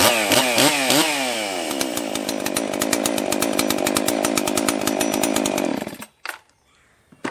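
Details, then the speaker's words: Husqvarna 261 62cc chainsaw, stock, after carb rebuild plus new fuel filter and fuel line, piston and cylinder checked, spark confirmed, after sitting about 10 years; crisp revs climb and hold a steady high scream, then shut off, running healthy. "Went through and just double checked the piston jug, everything internally on it, made sure that it had spark, changed the fuel filter, fuel line, and from sitting in somebody's truck for the last 10 years or something, it's running phenomenal in its stock configuration."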